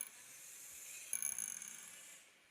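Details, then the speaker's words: Air:bit 2 micro:bit drone on the ground during motor test, each of four motors spun one by one: high whirring hiss then brief fast dry rattling; motor rattle, usually goes away in flight, fix by pushing motors up slightly. "Next, we have a motor test. This is testing all the 4 motors one by one. Now you can hear there are some rattling sounds."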